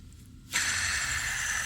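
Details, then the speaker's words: Toyota 1GR-FE 4.0 V6 removed engine, idler pulley spun by hand during front-end disassembly; steady dry hiss and gritty whir — bearing inside partially dried out. "this one is noisy right at bearing which is inside is partially dried out"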